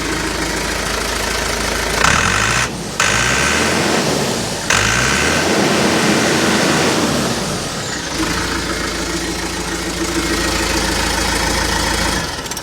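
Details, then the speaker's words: Backhoe diesel with the DE10 injection pump converted to a mechanical Stanadyne DB4, shut-off solenoid wired to the starter, about 65–70°F: brief crank, fires on the first revolution into a steady, even, responsive idle. "Hook up the solenoid and hear it click. Fires right up, first revolution. Extremely responsive."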